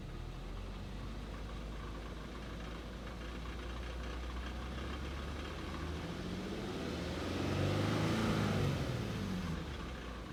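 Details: 2011 Infiniti G37X sedan petrol engine at idle: light, regular rattle about four times a second, swelling during a brief rev; owner does not know the cause.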